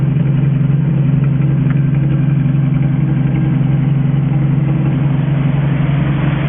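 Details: 1963 Ford F350 engine with Cherry Bomb muffler, first run in 20 years, coolant somewhat low: steady even low idle with unbroken beat, no knocks or misses; running good.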